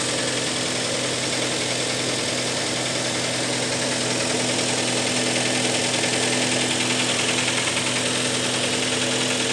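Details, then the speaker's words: 2012 Kia Sportage 3 with 95,000 km, cold engine at idle: a fast, fairly even ticking knock about three per second over the engine hum. The knock gets worse when hot; the cause is not identified. "холодную. На горячую стук еще больше становится."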